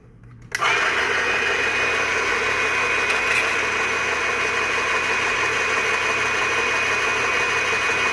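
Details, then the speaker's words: Graco airless paint sprayer, priming from a bucket of water, then prime valve closed to build pressure after filter-housing leak repair: motor settles into a steady busy hum; filter shows no seepage but pump never reaches maximum pressure, suspected worn packings. "Alright, well we don't have seepage, but we're not hitting maximum pressure either, so apparently he's got a bad set of packings."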